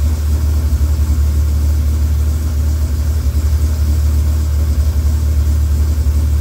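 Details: Freshly rebuilt Dodge Viper V10, first startup after oil priming: deep, smooth rumble with even firing and no knocks or misses. About 60 psi oil pressure, no leaks, radiator warming; sounds healthy.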